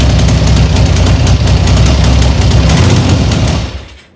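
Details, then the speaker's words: 1975 Triumph Trident T160 triple, freshly rebuilt engine on first runs, fast even idle on choke with a steady exhaust beat and no knocks, then shuts off cleanly. "i'm just going to try and run it turn the choke off and get the revs down a bit don't want to idle it there's too much because it's uh brand new engines"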